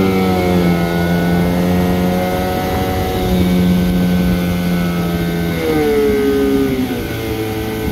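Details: Crisp two-stroke buzz rising and falling cleanly with the throttle, never stumbling. This is a 1974 Johnson 15hp outboard on a pond test after a new fuel line, plugs, impeller and carburetor tuning fixed poor idling. Running well.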